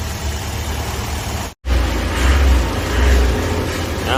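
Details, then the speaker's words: Toyota Vios 1NZ engine after all four ignition wire sets were replaced with cut and crimped joins: idles evenly with a steady low rumble and light rev, no stumbling or misfire; problem fixed. "เสร็จเรียบร้อยแล้วนะครับนิ่งกิ๊บ"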